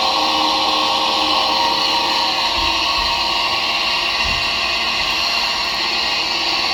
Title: Disturbing grinding noise from faulty dryer fan